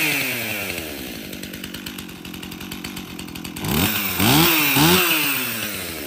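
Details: Stihl MS261 50cc M-Tronic chainsaw before service, on fresh fuel: buzzes at a fast idle, then snaps up in sharp revving sweeps; lean high-speed fuelling from a dirty fuel solenoid.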